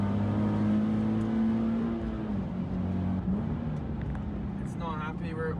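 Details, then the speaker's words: Stock Nissan 370Z on track at Sydney Motorsport Park, end of lap 6: flat, steady drone that barely climbs under throttle, engine holding revs and down on power; cause not confirmed. "At the end of lap 6, the car started to not give its full power. You can hear it here just holding on the revs."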